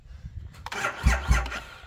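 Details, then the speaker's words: 2,500 cc motorcycle, keyless push-button start, just bought: only two slow, labored starter groans then it dies; weak crank from dead battery. "Oh no, sounds like the battery's dead."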